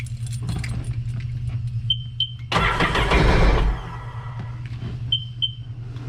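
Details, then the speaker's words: A few light clicks, then one second of cranking that briefly catches and dies, a reluctant start. This 2006 Sea-Doo Sportster sat about two years; the old gas is suspected and the tank is to be drained. "got to love old gas better okay so we know that it runs really the next thing that we're going to have to do is probably drain most if not all of the full tank of gas that we have and it should start right up"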